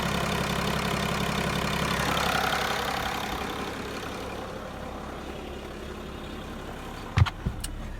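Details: 2005 Mercedes W211 E320 CDI diesel with intermittent no-crank/no-start and ESP warning, here started without the jumper; owner suspects bad ECU: steady low clatter at idle, running evenly with no stumbles or misses; normal idle.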